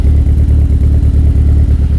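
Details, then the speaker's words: Mitsubishi 4G63 just after GSC Power-Division billet S2 cams were installed. It idles evenly with a light, regular lifter tick, which is expected while the lifters repressurize with oil and should go away. "Alright, and there you have it. Idling and purring. Of course, we got the lifter tick that'll go away later."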